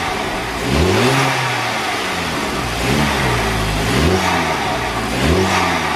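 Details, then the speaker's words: VW Golf Mk5 GTI TFSI direct-injection engine with newly fitted Forge Motorsport Twintake intake, free-revving: climbs and falls smoothly with loud intake roar and a faint diesel-like tick and rattle underneath; normal injector tick. "Right folks, so it definitely does sound good. I'll just go over here because that TFSI tick and rattle is definitely still sounds like a diesel, just how it is."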